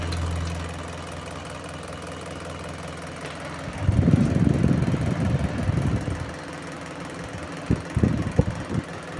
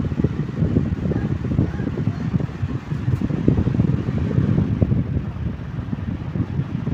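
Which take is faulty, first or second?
first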